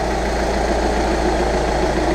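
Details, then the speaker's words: 2013 VW Jetta TDI idling after replacing its auxiliary fuel pump, which had whined when hot after long drives. Smooth, steady low diesel rumble with an even beat. Normal idle. "let's start her up oh there we go well that was less than ideal but i'm over it she's starting"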